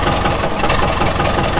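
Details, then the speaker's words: Ford Model T engine just started, running on the magneto: rapid regular knocking over the idle keeping pace with engine speed; rod knock, oil pan to be pulled to find the bearing. "yeah it's got a pretty good little rod knock so we're gonna have to pull the pan down"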